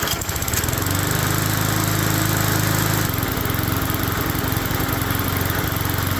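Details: Neglected small single-cylinder mower-type engine first run with blade refitted and gas refilled; heavy rough low throb with shaky beat and loud echoing noise, owner thinks loose recoil; fits worn, loose crankshaft bearings.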